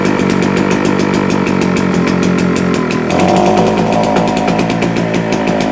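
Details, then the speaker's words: JCB two-stroke generator, first run after sitting unused a couple of years, possibly too much two-stroke oil in the mix, putting out 200 volts: buzzy note holds steady, then settles to a slightly higher smooth run; running healthy. "cough definitely running may have put a bit too much two stroke oil in it's doing 200 volts"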